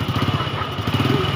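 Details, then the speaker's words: Motorcycle engine at idle just after a manual valve clearance adjustment and cover refit: even, quick putter with no top-end tapping, valves now quiet and correctly set, unlike the tapping of the loose valves before adjustment; normal idle. "sekarang kita sudah setel habis kita tutup kita siap hidupkan kita coba dengarkan bunyi aslinya"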